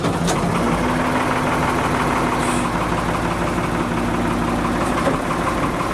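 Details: Backhoe diesel, warmed up before an oil change, very degraded oil, mic near engine around 75 dB: loud clattery idle with an uneven chuffing beat about three per second, running rough, possibly from the tired oil.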